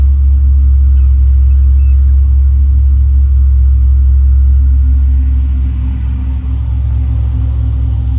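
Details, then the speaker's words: Truck with a newly installed Tremec TKX replacing a failed T5, started on a low battery: deep, steady idle holds as the clutch is let out in neutral, with no grinding or rattle. Driveline sounds healthy. "And it runs. Okay, I'm gonna let the clutch out and see if anything goes horribly wrong."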